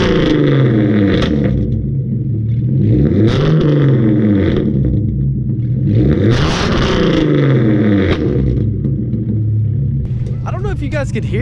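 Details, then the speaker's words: 2013 Hyundai Genesis Coupe 3.8, full bolt-ons, headers, tuned, straight piped with ISR exhaust: revs rise and fall with sharp crackling pops on lift-off; owner suspects another exhaust crack leaking. Exhaust pops. "on camera or not but those first few pops sounded like weird like it almost sounded like there's another crack in the exhaust and it's leaking from somewhere else let's just hope not"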